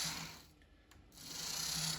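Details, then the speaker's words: Lima class 50 model diesel locomotive, sent in as a non-runner with a broken wire and heavy dirt, after rebuild and service: light, even high motor whir rising and fading as it passes, no catching or stutter, running smoothly. "and there we have it another another Lemma diesel back doing what it should be"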